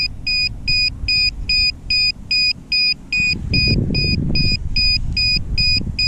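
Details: DJI Mavic Air remote controller with a fault: high, piercing double-tone beeps repeating steadily two or three times a second without stopping, while the controls move on their own; continuous fault beeping.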